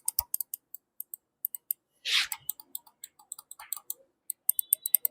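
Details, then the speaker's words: Razer DeathAdder gaming mouse after replacing click switches and fixing jerky scroll: crisp, sharp, distinct clicks with nothing mushy or doubled; new switches clicking cleanly. "आप switch की आवाज स्पष्ट रूप से सुन सकते हैं।"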